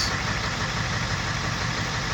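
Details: 2001 Ford E350 van, 7.3L Powerstroke diesel, after a starter replacement following repeated drained batteries and a suspected bad starter: steady, even low diesel clatter at idle with no misses, knocks or surging.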